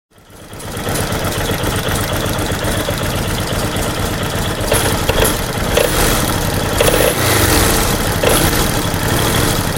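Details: Kawasaki Vulcan VN750/VN800 V-twin idling: sharp metallic knock roughly every second; fixed with about 50 USD in parts.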